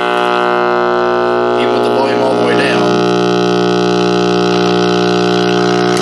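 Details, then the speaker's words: 1959 Westinghouse H673T5 dual-speaker AM tube radio (chassis V-2390-3), unused about 35-40 years, tubes warmed up: loud steady low buzz with evenly spaced overtones even at zero volume; 60 Hz hum from failed filter capacitors letting 35W4 rectifier output ripple. "Basically, as the electricity is coming off the 35W4 rectifier tube, it is direct current, but it's dropping up and down in voltage so much that you get the equivalent of the 60 hertz hum off of the AC. And that was extremely loud, and the volume was all the way down."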